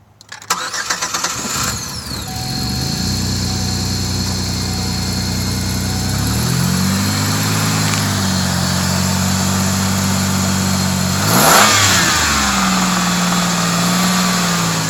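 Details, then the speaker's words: 2005 Chevrolet Equinox 3.4 L V6 cranking, starting and idling with a faint, light lower-end rapping at startup, also present revved to about 2,000 rpm; suspected rod knock from a common oiling issue causing premature wear, not confirmed. "you hear the light rapping from the bottom here we're going to go ahead and set it off and try again"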